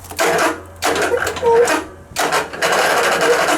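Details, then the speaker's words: Riding mower: bursts of rapid, harsh starter chattering that cut in and out instead of cranking, caused by a deliberately loosened, overheating battery cable, which can mimic a dead or low battery. "if your starter is chattering like this one was doing or if you turn the key in it sometimes wants to start"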